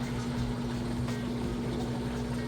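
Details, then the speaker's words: GE top-load washer draining after the wash cycle, before the spin. Steady low pump hum with water rushing through and no rattle or grinding; the drain pump is working normally. "All right, we're moving out of the wash cycle now. Just draining that water out nice and fast."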